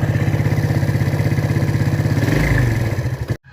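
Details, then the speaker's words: Yamaha Vega ZR single before rebuild, heavy smoke returning despite repeated rebores, oil flow verified good: harsh uneven clatter pulsing about three times a second over loud low thrum; worn piston, connecting rod and camshaft. "dari tadi kita sudah lihat asapnya juga cukup banyak mesin juga suara kasar nanti ini Saya bel mesin total cek semua ya"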